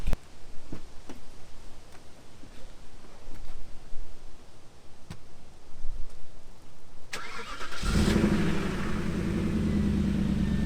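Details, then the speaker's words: 2002 Audi A8 D2 V8 with its bank 1 catalytic converter stolen and a makeshift fix, cold start before repair. Ticks, then a loud, raspy, rough idle with open exhaust noise; exhaust leak from the missing cat. "actually let me give you guys a cold start because this shit's rough"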